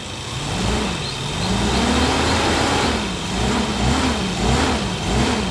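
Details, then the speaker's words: 2002 Suzuki Katana GX (SJ410) engine revved in the engine bay with repeated throttle blips: pitch rises and falls smoothly with no knocks or rattles; engine still sounds good, normal revving. "Allah suaranya mesin masih baik"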